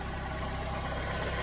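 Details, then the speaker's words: Skoda Fabia 1.2 four-cylinder with 97,000 miles, cold idle at dealer auction: steady, smooth, even low hum with no knocking or misfire; sounds all right. Cam belt possibly never changed. "The radio works. That sounds all right. For a cold little 1.2."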